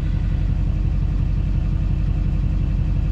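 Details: LBZ Duramax just after a turbo replacement, warm at 131°F coolant, running the turbocharger vane learn sweep at idle: a steady, smooth low rumble with no knocks or whistles. Normal turbo vane learn sweep.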